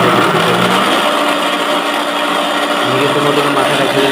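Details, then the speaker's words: Easy-bike hub motor running under load with a steady whirring drone and wavering mid-pitch tone; failed bearing causing the noise, with grease leaking into the coil, louder in real riding than recorded. "আমাদের বেরিংটা নষ্ট হওয়ার ফলে মোটরটা অনেক sound আসতেছে।"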